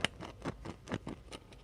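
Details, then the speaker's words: Speaker from an old Crosley radio being overhauled, removed from frame and cone pushed by hand: scratchy, uneven rasping bursts as the voice coil rubs inside the magnet core; speaker judged ruined, replacement sought. "That is the sound of basically the coil rubbing up inside the core."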